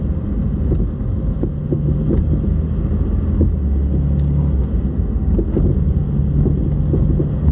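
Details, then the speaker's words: 2021 Porsche 718 Cayman GT4 at 4,500 miles, microphone at the rear, with road rumble and sharp hard clunks over bumps and potholes since new. Owner suspected loose strut tops but checked bolts and end links. Replacing the rear sway bar fixed it. "yeah those clunks the harder sounds in there that's that's what i'm hearing uh and no it's it's not normal"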